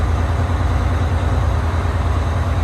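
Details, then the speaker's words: Bus diesel with 50DN alternator, battery voltage swinging between about 13.2 and 14 V: deep idle with rhythmic rise and fall in load as the engine cycles; surging from alternator voltage regulator oscillation, prior owner already replaced alternator and several regulators. "You can hear the engine cycling while this is happening, as it's trying to rip the gear off the front of the alternator."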